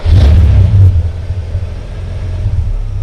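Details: Ford EA Falcon idling: deep uneven idle stumbling about three times a second, running very rich with a hint of misfiring; cause not yet found.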